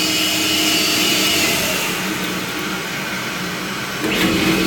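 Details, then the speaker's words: A pump motor runs with a harsh, gritty hiss and faint high whine from worn bearings; the pump is toast. "can you say bearing problems"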